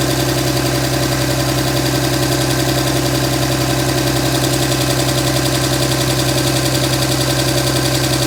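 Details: 2007 Dodge Ram 5.9 Cummins diesel idling with a low drone and uneven pulsing lope about 160 beats a minute; began a month ago, intermittent fuel rail pressure, MAP sensor and overboost codes; owner asks about excessive blow-by; cause unclear.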